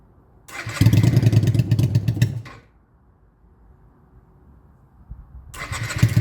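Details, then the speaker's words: Honda Shadow motorcycle in restoration, carb float recently worked on, air intakes open: engine catches, runs roughly under two seconds, dies, restarts and fades; owner suspects too much air or too much fuel. "Okay. So, as you can see, it starts on its own very, very well, but then it dies right after, which is I don't know why."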